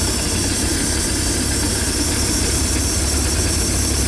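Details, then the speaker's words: Bayliner 175 boat, Mercruiser 3.0, warming up after storage: turn key start (TKS) hiss fading, loud steady even idle, no misses or surging, idle smoothed out; normal idle. "as you're listening right now you can hear that hissing going going away also engine idle now is smoothed out"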